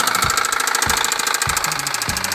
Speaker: 这是因为活塞与气缸壁的间隙过大了，活塞在上下运动的时候会横向摆动，碰撞气缸壁发出的声音。